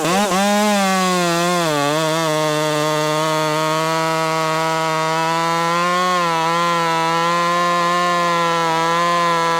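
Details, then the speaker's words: Ported Husqvarna T540 Mark III top-handle chainsaw on its third tank, not fully broken in, warmed up, chain quickly filed: strong steady high whine through the cut with brief dips under load; cutting cleanly. "So, what do we learn about the T540? Mark III. Well, it it doesn't feel like it's fully alive yet. It's definitely not fully broken in."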